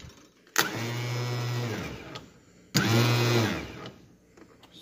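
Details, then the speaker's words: 95-99 Yard Machines tractor that sat outside a long time, with corroded, freshly tightened battery cables: two short starter whirs with no firing, barely cranking over. Owner wonders if it needs grease; the starter is judged good. Slow, weak cranking. "hmm i wonder why i don't i wonder if it needs a little grease or something because they don't fully crank over it barely cranks"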